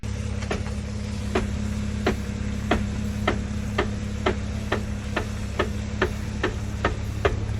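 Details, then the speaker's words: Jeep WJ Grand Cherokee with swapped-in trussed, locked Dana 44A rear axle, driving: sharp regular clicking about twice a second over low drivetrain hum from the rear diff center; cause unconfirmed, some suggest broken ring and pinion. "So, as you guys can tell, the Jeep is making a loud noise. It seems like it's coming from the diff, from the middle of it, so I haven't had a chance to open it up, but today I might go and crack it open, see what's going on inside the diff."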